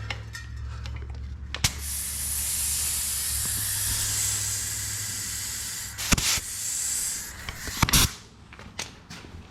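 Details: 2018 Honda CRF450R dirt bike tubeless tire: steady high-pitched hiss for several seconds then clatter; air escaping from tire, possibly around spokes, after bead seating attempts.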